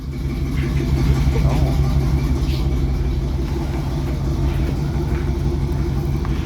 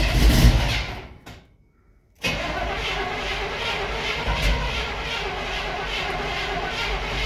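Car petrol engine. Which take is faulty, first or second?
second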